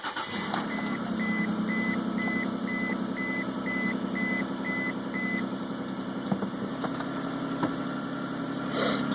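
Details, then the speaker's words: 2001 Isuzu Rodeo just after EGR valve cleaning, Seafoam possibly still in intake: catches and settles to a steady, slightly fast idle with warning chime beeping; idle still high, may settle or be a separate issue. "looks like the uh looks like the idle is still up a little bit I don't know if that'll settle down or that might be a separate issue"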